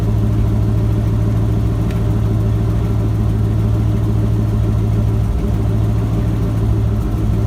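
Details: Ford F-250 with a 7.5L 460 big-block V8 after replacing the starter bypass solenoid for a no-crank, no-start. Deep, even rumble at a steady idle with no misses, knocks or stumbles; running smoothly.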